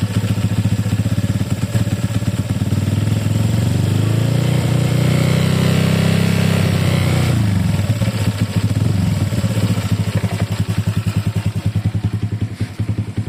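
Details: Honda Click 150i scooter: low rattly clatter over the idle, rising with a brief rev then settling back; abnormal engine noise, cause not pinned down.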